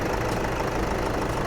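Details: Toyota diesel pickup (Vigo/Revo family) idling steadily with its usual light clatter, an even, healthy idle, after replacing the front pulley and drive belt; the earlier noise is gone, charging was being checked.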